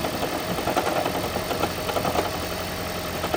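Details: 2012 Toyota Prius on startup: loud rough rumble with uneven rattling knock that then goes away; blown head gasket, noise gone after head gasket repair.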